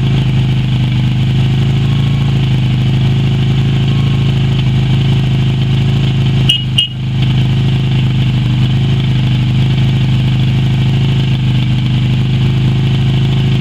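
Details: Yamaha Virago XV250 V-twin revived after 6 years in storage, black old fuel replaced with fresh fuel and power restored: smooth, steady low idle holding an even beat with no misses or hunting; normal idle.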